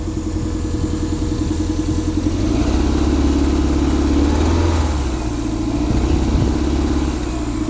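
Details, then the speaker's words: 1994 Toyota MR2 Mk2 GT turbo (JDM), first startup after sitting unused since 2020; cold idle with a lumpy, uneven, loping beat; owner thinks it is running on three cylinders and will let it warm up; rough idle. "I think it's running on three cylinders. I'm going to I'm going to leave it to warm up for 5 minutes or so. We'll see if it clears up."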